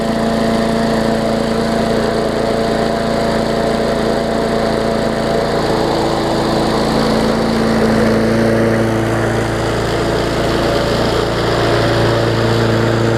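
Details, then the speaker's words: Bolens push mower, Briggs OHV engine, after fitting correct spark plug and missing carburetor jet ball plug: smooth, even single-cylinder drone at steady speed, no misses, surging or knocks; runs properly. "so sounds good we'll let it run for maybe 10 minutes or so"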